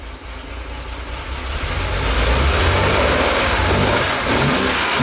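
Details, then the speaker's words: 1969 Porsche 911 T flat-six after cleaning out carb jets following misfire and power loss: catches and climbs into strong steady revs without misses; running well, idle and carb sync still to adjust. "i think we got it sounds pretty good idle's gonna be adjusted a little bit"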